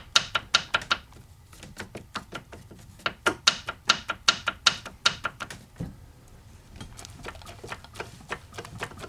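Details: 1982 Mercedes-Benz 240D OM616 diesel, 259,000 miles, crank turned slowly by hand: bursts of sharp tapping clicks from one cylinder; piston slap, No. 3 piston skirt broken, pieces found in sump.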